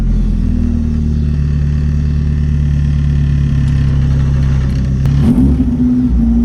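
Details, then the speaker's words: Rotrex-supercharged Miata on Haltech ECU after coil pack update and new map: strong steady low drone, brief rise near end, smooth; started far quicker than its usual struggling cold starts, throttle response slightly better. "Okay, so one thing I noticed immediately was it started up way quicker than it normally did. Usually it struggles out of cold starts."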